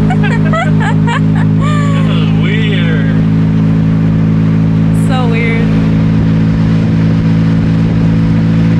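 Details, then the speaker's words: BMW E46 M3 convertible, revived after sitting over two years, while driving: deep, loud, steady exhaust drone with heavy low rumble; loud exhaust. "i wonder how loud it is on camera because it's super loud yeah right now it reminds me of my first ever s54 swap i did in my car i didn't have a muffler on it and that's exactly how it sounded"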